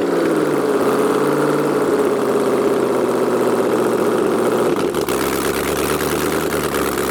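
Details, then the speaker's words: LS V8-swapped Jaguar XJ-S first start with no headers, open exhaust ports: very loud raw bark, fires instantly and holds a steady even fast idle; healthy start, no hesitation. "it started right up there was there was no hesitation it just freaking went"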